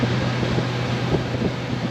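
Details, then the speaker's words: Dometic RV rear AC running on generator power after replacing a bad thermostat that kept the fan from running in auto: steady low hum under an even airy rush, compressor kicking on, no knocks or squeals; normal running. "so I'll put it on low until we hear the generator fire load up when the compressor kicks on yeah can you hear it near the compressor you can all's good"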